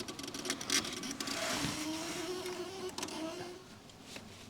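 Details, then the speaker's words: UAZ 469 (old, modified) with ignition on and engine off; an aftermarket backup ignition relay gives a wavering buzz with sharp clicks, chattering instead of pulling in cleanly; sounds unhealthy. "it's like a backup ignition relay that I put on here but it's not sounding very healthy"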